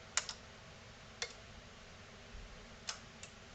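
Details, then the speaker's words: NAD C370 amplifier during repair: a few crisp, isolated clicks about a second apart on a quiet background; speaker output relays now switching normally, though the speaker A light stays off. "that relay clicks too but we don't have a speaker a light that's interesting so we may have a problem perhaps with the light but we do have relay control for the outputs now"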